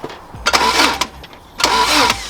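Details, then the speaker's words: Subaru Impreza WRX STI Classic with lost keys, hotwired with a lead to the starter, immobilizer reportedly removed: two short half-second cranking bursts, never catches; cranks but won't start, owner suspects no or stale fuel. "so that's working off the key now in it small fuels yeah reckon he's got no fuel so he's empty"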